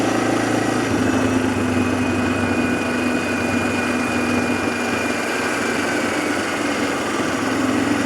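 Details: 2007 Arctic Cat ATV 400 engine at steady, even idle with constant low drone, no misses or surging, after sitting a year and a half; fixed with carburetor cleaning and a new spark plug, sounds healthy.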